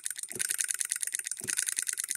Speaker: all right watch it go now it's hitting and missing If We Hold this in it'll just Coast